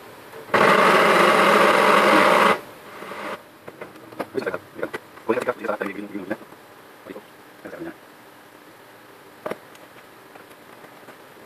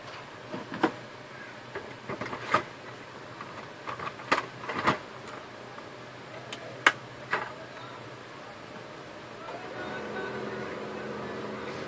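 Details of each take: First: HP LaserJet 1010 printer makes a loud two-second burst of harsh grinding from the gearbox, then scattered clicks, and won't print; worn motor drive gear. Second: HP LaserJet 1010 after replacing the broken motor gear in the gearbox: a few clicks, then a smooth, steady hum with no grinding or gear noise; printer ready.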